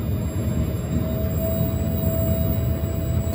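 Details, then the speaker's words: 1997 Jeep Grand Cherokee with no-start, automatic shutdown and fuel pump relays bypassed with jumper wires, engine off: steady thin mid-pitched hum from the rear fuel pump; normal fuel pump operation, no-start persists. "now you can see that we've got our power to our fuel pump maybe you can hear that fuel pump running back here"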